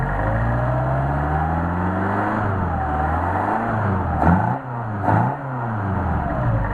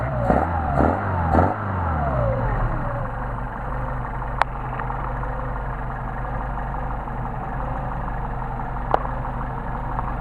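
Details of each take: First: Solex 44PHH carburetors for a Mercedes 190SL on a test run, idle around 800–900 rpm, slowly revved with no load: smooth, clean rise and fall in pitch, no misses. Normal free rev. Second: Mercedes 190SL with re-tested Solex 44PHH carburetors idling, no load; turning the idle mixture screw in brings an uneven, rolling misfire, meaning the mixture is already too lean; fix is backing it out about 1/8 turn.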